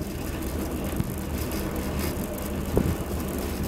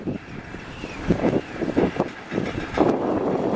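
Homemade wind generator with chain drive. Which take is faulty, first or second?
second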